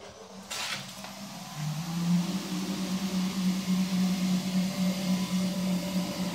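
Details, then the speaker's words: 1925 Spencer turbine vacuum cleaner run from a Toshiba VFD on single-phase at 30 Hz, about half speed: quiet, steady low hum with no knocks or rubbing, still moving a good amount of air; runs smooth and healthy. "it it's it's running at what should be half speed now and it barely makes any sound at all and it's still moving up go to mount of air"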